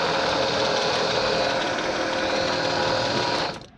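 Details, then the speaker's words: Original winch from a 1975 Chevy stepside diesel project truck, powered through small jumper cables with a poor connection: steady high-pitched motor whir, smooth while spooling, then winding down; works well with a quick spool rate. "It works well, too. That is a quick spool rate."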